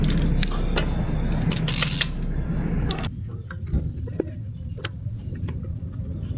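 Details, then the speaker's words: Hyundai Getz engine running smoothly with an even low hum after replacing badly worn spark plugs that caused a big misfire; keys clatter at first, no stumbles or skips, misfire solved. "So, I replace all of them and the misfire problem was solved."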